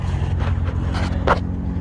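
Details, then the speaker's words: Stealth idling after a -12° cold start, with the throttle-body coolant lines disconnected: a smooth, steady low hum with no stumble or tapping. Idling cleanly and evenly. "Stealth is just running like, purring like a kitten there. Jeez, can't believe it."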